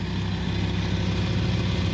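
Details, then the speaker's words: VW Touareg 2.5 TDI after engine rebuild, idling: busy, uneven metallic chatter over the diesel rumble, rising and falling; rear timing gears rattling, described as common to this engine. "Вот они гремят. Это у них болезнь у всех. Гремящие шестеренки."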